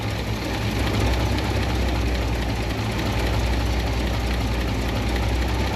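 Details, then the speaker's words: 1972 International 1110 pickup after carb mixture screw adjustment on its two-barrel carb and an ignition overhaul. Before, it fell flat; now it has an even, deep rumble with clean firing and no stumble. Running well, as good as it can be made mechanically. "oh man that sounds so much better they're very close well that's as good as I can make it mechanically the thing's running pretty well right now"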